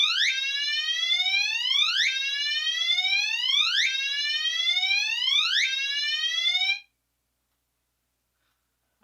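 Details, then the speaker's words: Commander 3 alarm horn on continuous whoop, triggered by pull station during a system test: high unconventional rising whoop sweeps repeat about every 1.7 seconds, even and clean, then cut off; sounding properly. "right so as you can hear not a very conventional tone whatsoever but it is a good one here and I do like it that's part of my favorite things about the commander 3 is that it does have that crazy whoop sound"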